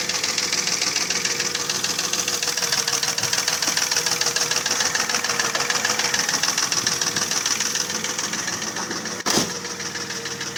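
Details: Mercedes ML320, 3.2 M112 V6, scored cylinder bores: rapid, steady knocking about three to four times a second over the running engine, pistons rocking loose in the scored bores; piston slap.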